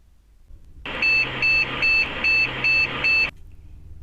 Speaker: that is a six short beeps the problem with this is the 8042 gate 820 test error or cannot enter the bias in safe mode usually an expansion card has failed on the motherboard itself so you must replace expansion card or motherboard